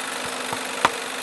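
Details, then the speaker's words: PS3 Slim CECH-2002x 120GB whose Blu-ray drive won't read or eject discs: constant hissing whir with sharp clicks about every third of a second. Foreign objects inside the drive are suspected. "a PlayStation 3 Google Drive is making these these this noise so there are some issues with the ps3"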